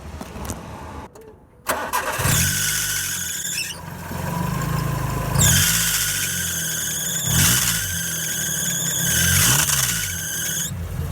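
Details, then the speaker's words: Car cold start on a cold morning after the belt was tightened at its tensor: cranks, catches, then a high chirping squeal rising and falling with revs; the squeal persists, so owner suspects another belt, possibly the alternator belt. "ah ok como vieron la banda sigue sonando pero lo malo que no es una banda sinaloense entonces es muy probable que no sea esa banda la que este blog es probable que sea otra banda"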